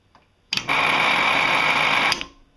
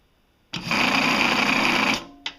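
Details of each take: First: Laporte Leroy Somer 120V cocking motor brake on a skeet/trap machine, re-adjusted by snugging it fully, backing off 1/4 turn plus another 1/8 to set the gap; a clean steady high whir then a crisp stop, so motor and brake work normally. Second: Laporte Leroy Somer 120V cocking motor brake on a skeet/trap machine, during final adjustment after backing off another 1/8 turn; the motor spins up to a steady high whir with a rough scraping edge, the plate shifts, and there is little or no gap, so the brake is dragging.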